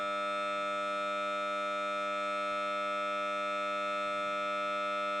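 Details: Samsung Note 9 phone speaker randomly emits a steady single-pitch siren-like buzz with no music behind it while playing audio; only a reboot stops it; faulty loudspeaker output, cause unknown.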